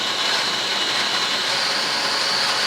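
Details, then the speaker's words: Litehawk Quattro RC quadcopter after resetting two high pinions and oiling pinion-gear mesh with 30-weight non-detergent oil, at three-quarter to full throttle: high steady gear whine with no grinding or chatter; gears mesh cleanly. "and it starts to quiet right down. That's about 3/4 throttle. And we'll go full throttle. So that's actually a pretty respectable sound out of it."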